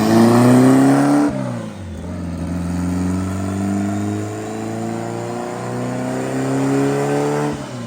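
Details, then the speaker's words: Turbo Honda Civic drag car after refitting the wastegate with a spring: two strong, clean rising pulls with a steady climb in pitch; healthy power band at 412, boost 10 lb at 6,000 rpm and 17 lb at 8,300 rpm. "much better hey 412 and look at that power band"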